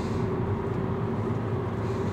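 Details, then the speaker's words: VW Jetta/Passat test drive after brake scraping complaint (noise came when turning/cornering, suspected pads sticking): braking straight produces only steady road and engine hum, no scraping or squeal; brakes sound normal. "bakın Bu hareketli yok şu anda Arkan boş pirene yumuldum herhangi bi ses falan bir şey gelmedi gayet iyiydi"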